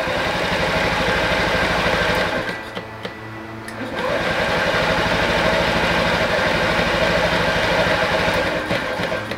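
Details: Honda Ruckus scooter after its stock carburetor was cleaned in an ultrasonic cleaner and fuel was primed by cycling the key: fast rhythmic cranking with brief catches that die before it runs; hard start.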